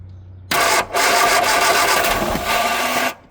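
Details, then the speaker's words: 1969 Austin America, start attempt after carb work, unrun for 15 years, enricher unhooked, electronic-ignition distributor fitted: starter cranks about 2.5 s as engine coughs, tries to catch, then stops; owner suspects ignition timing far too advanced. "All right, so we are still not there. That sounds like a timing issue."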